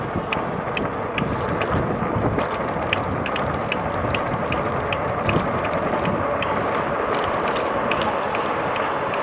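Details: RadRover ebike, about 1,200 miles, pedal assist at about 18 mph: regular sharp clicks roughly two per second with pedalling from the pedal crank where it connects to the gears; cause not yet known.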